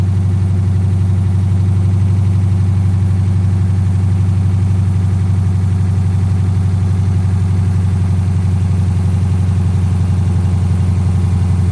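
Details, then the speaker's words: 2010 Dodge Charger V8 idling just after its first start following replacement of damaged heads, before coolant is added: a deep, even idle with a steady low pulse and no ticking or knocking, running smoothly. "I sent a message to the previous owner, letting him know that I did, in fact, get it running. I figured he would want to hear the first startup after me destroying a set of heads."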